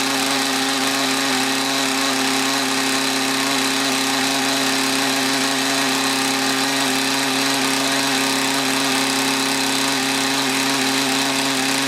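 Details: Mantis tiller with two-stroke Kioritz Echo engine, after cleaning around carburetor and fuel lines to cure bogging under load; it holds a steady high buzz with no stumble or sag, though idle sounds slightly uneven.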